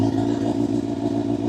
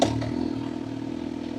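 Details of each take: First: Motorcycle held just above idle with slight throttle preload before clutch engagement: smooth, even purr with a steady note and no misses. Healthy engine, correct preload. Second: Motorcycle pulling away from idle, clutch released without throttle preload: engine note sags and labours under two seconds, then cuts out with a clunk; stall from clutch release without throttle.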